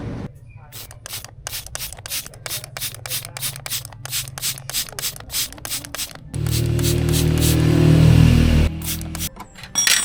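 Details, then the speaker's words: Yamaha NMAX V3 front brake: the pad is still thick but sticks to the disc, giving a rhythmic scrape about three to four times a second as the wheel turns. The fault is a dragging pad from a caliper problem. "Yan guys kung makikita niyo medyo ano pa siya makapal pa yung ano eh yung tawag nito brake pad pero kung makikita niyo nakadikit na siya agad kaya tumutunog."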